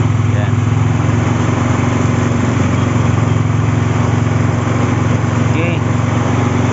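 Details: Mio scooter after fixing a no-start caused by a loose wiring connection (CDI suspected); steady, even low engine drone with no misses, knocks or surging; running smoothly, normal running.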